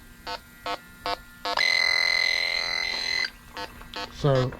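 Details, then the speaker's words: Electronic refrigerant leak detector tested on an aluminum evaporator coil at zero PSI, then with a little gas added: slow steady beeps jump to a continuous high shriek at the leak, then reset. Refrigerant leak alarm. "that's what it does when it turns the leak hit your buttons reset it keep in mind we're on zero PSI on this coil"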